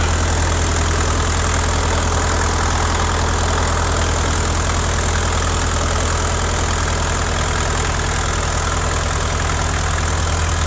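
Steady, deep diesel throb that stays even and unbroken throughout; this old crawler engine is running healthy.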